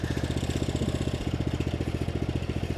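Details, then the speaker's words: Riding mower less than a year old with about 23 hours, troubled since a couple of months after purchase. Low idle with uneven pulses about four a second, an irregular clattering beat and a stumble; it runs rough. "And um I don't know if you guys can hear it or not, but it sounds like dog [ __ ]"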